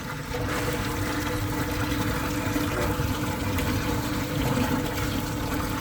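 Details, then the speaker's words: Replacement sewage lift pump, plugged in directly via extension cord: constant rushing, splashing flow over a low steady hum, no knocks or surging; pump is discharging properly and the system works. "La pompe de relevage elle fonctionne les amis. Super, bon le système il a fonctionné."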